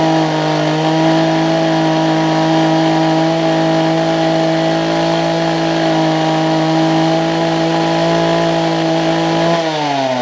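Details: Older Homelite two-stroke hedge trimmer, repaired (new fuel lines, primer bulb, carb tuning): steady, even buzz holding one pitch, then easing off; runs smoothly.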